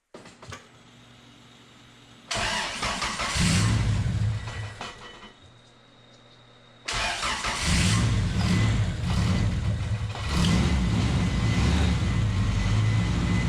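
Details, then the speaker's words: 1993 Honda Accord CB7 with an H22A, first start after a power steering pump swap, pump filled while turning it to limit air. Cranks and catches, then a heavy, labored drone as if under load, which fixes itself. "I don't know why the engine sounds like it's got an actual load. Does fix itself."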